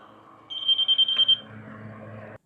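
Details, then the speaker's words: Laser level receiver: a high, steady beep under a second long. A solid beep means the reading is right on grade; quick beeping means close. "So, when you hear that solid beep, that means you're right on it."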